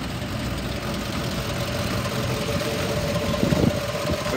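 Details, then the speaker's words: 2009 Ford F-250 XL with 55,000 miles, jump-started after sitting: a V8 idling roughly with a steady, uneven chuff and stumble. Constant misfire, doesn't rev up well, never repaired. "it's had a steady misfire the whole time it doesn't rev up well"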